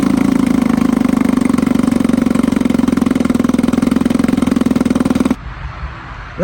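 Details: 1954 Evinrude 7.5 HP Fleet Twin outboard, first start after new coils, cleaned points and rebuilt carb (new gaskets, float, needle): steady, even rapid popping at constant idle, runs smoothly and idles cleanly; normal idle.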